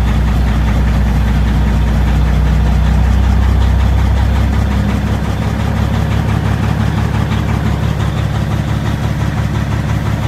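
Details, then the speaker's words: 2005 Peterbilt 379 EXHD diesel truck, started with key and push button: deep, steady low chug at idle, even and smooth with no knocks, misses or rattles; healthy diesel settling after start. "this is a nice truck very nice truck oh man"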